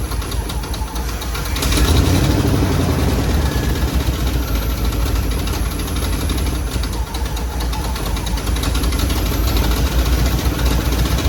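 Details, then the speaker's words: 1957 Chevy Bel Air, 350 crate V8 with new Edelbrock intake and Rochester Quadrajet, first runs in years: loud lumpy uneven idle after timing adjustment; owner says timing retarded too far, suspects carburetor change and spark settings. "I went too far I retired it too far doesn't sound like it's running real smooth it's probably the carburetor change all spark stuff"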